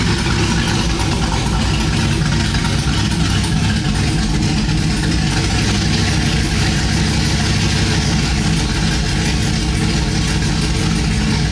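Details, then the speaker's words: Chevrolet Silverado cammed 5.3 V8 on new long tube headers with unfinished exhaust, no mufflers: loud, choppy idle with even rumbling lope and raw exhaust crackle; normal healthy cammed idle. "We're not gonna be able to finish the exhaust right now so it's just gonna be very loud for a while but uh that sounds great"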